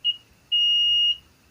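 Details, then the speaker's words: Multimeter on buzzer setting testing an IRFZ44N MOSFET, red probe on top, black probe on the back: clean 2.7 kHz beeps, a short chirp then a long tone. This is a normal continuity beep; if all three pins beep, the MOSFET is bad. "Yang hitam ini kita tempelin dari belakang ya. Yang di belakang bunyi."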